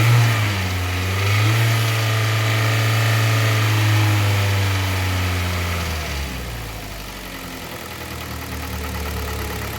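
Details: Warm engine idle with a smooth rev blip settling to an even idle on a Kia Sportage 3 at 122,000 km, after service: oil changed Shell 5W30 to NGN 5W40, throttle body and injectors cleaned, filters replaced. Dull metallic knock gone; timing chain replacement due in a week.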